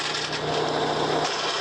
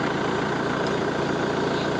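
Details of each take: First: Mahindra 415 DI Bhoomiputra tractor diesel running with rough rasping grind as gear is forced; clutch not disengaging even when pressed, won't go into neutral, gear won't engage and tractor won't stop; gear grinding from clutch not disengaging. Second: Mahindra 415 DI Bhoomiputra diesel tractor after freeing a jammed clutch plate that stopped gears engaging: even steady idle, smooth firing, no knocks, rattles or grinding; gears now shift easily, engine running normally.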